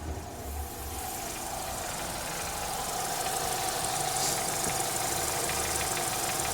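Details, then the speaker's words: Renault Megane 3 with K4M engine at hot idle after an oil change to ZIC X9 5W-40: light fairly steady ticking knock about three per second plus a chirping noise, both absent when cold; cause unknown. "Что-то циркотит. И только на горячую. На холодную его нету. И какой-то стук на горячую после замены масла."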